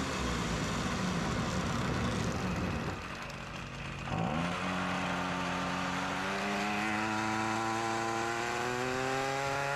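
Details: Ryobi RY253SS two-stroke trimmer, dumpster find, after carburetor replacement for a leaking carb, started at half choke, light brush cutting; high buzzing drone dips under load then revs up smoothly; runs well.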